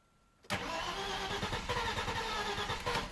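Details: Audi A4 B5 2.8 V6 142 kW: starter cranks steadily at about four beats a second with no catch; crank no start, caused by bad gasoline, solved with octane additive.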